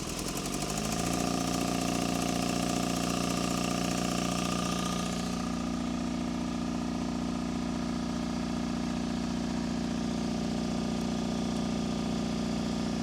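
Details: Miller Air Pak 400 welder, believed late-80s, Deutz diesel, not run in a while; cold start at about 35°F, no ether; brief crank, catches right away, steady idle about 220 beats a minute; engine in good shape; normal cold start and idle.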